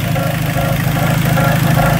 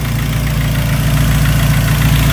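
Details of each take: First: 2003 Dodge Neon just after timing belt and water pump replacement: the idle carries a rhythmic scraping swish, about two pulses a second, from rubbing inside the timing cover; a thick timing cover plate or gasket is suspected of pushing onto the tensioner. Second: 2003 Dodge Neon 2.0 SOHC after timing belt, water pump and thermostat replacement: low, even idle with a smooth steady pulse and no squeal, tick or miss; earlier squeaking gone, normal idle.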